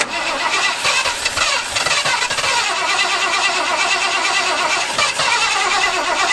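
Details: Abandoned 1977 Ford plow truck: engine catches and runs rough and uneven for a few seconds, then dies; owners suspect fuel starvation once the primed charge is used, not confirmed.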